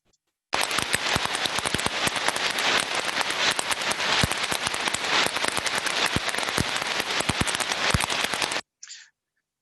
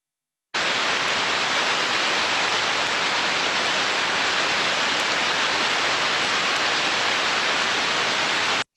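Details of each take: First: Heterodyned ultrasound recording of conveyor idler bearing number two: a harsh continuous crackle with repetitive sharp impacts at higher amplitude. It is in a worse state than bearing number one; a damaged bearing. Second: Idler bearing heard through a heterodyning ultrasound detector: smooth, uniform hiss with no clicks or crackle; healthy bearing.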